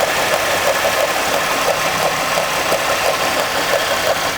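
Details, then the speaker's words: Chevrolet Impala 3.6 engine idling with intake duct and air cleaner removed, microphone near the noise: steady oscillating, wavering hiss and chirp, about three pulses a second, from a lumpy defective serpentine belt. "You do see that we have the intake duct work and all the air cleaner out because there is definitely a noise going on with this engine. I'll go ahead and start it. Let you guys hear the noise. What you're going to hear is an oscillating type sound."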